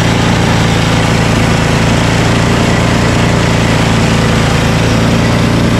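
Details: Ariens ST1128 28" snowblower, 11HP Tecumseh Snow King single-cylinder engine, cold day, after carburetor cleaning and pilot jet fix for surging. Despite an apparently ~5HP carburetor, a steady, even idle with no hunting or surging: normal idle.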